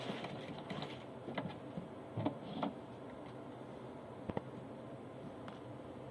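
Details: Singer Starlet 6680 sewing machine after cleaning and oiling: soft, even hum with light ticking, running quietly and smoothly with no knocking or grinding.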